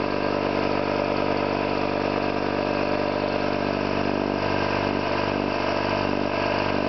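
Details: Orlík 2 JSK 75-2 compressor, self-rebuilt after a bad "overhaul" (leaking concentric valves with dislodged axles, poor seals), one of the first starts with the motor temporarily started in star for the house breaker, 4 kW motor planned. Even piston thump about two beats a second, no knocks; normal running.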